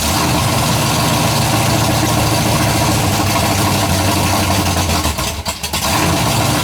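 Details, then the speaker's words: Freshly built 427 big-block V8, first fire-up, idling after a little warm-up: light fast ticking over the lope; builder hears one valve with loose lash and plans to adjust the valves. "I've got the damn cup chopping wood to me and I said I'm still gonna run the valves I can hear one over there"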